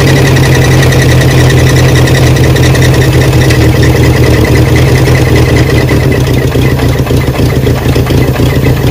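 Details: Barn-find 1979 Honda Prelude (sat for years), restarted after topping up slightly low oil. Loud rough idle with a dull knock about three per second under the exhaust note; owners call it a bottom-end rod knock.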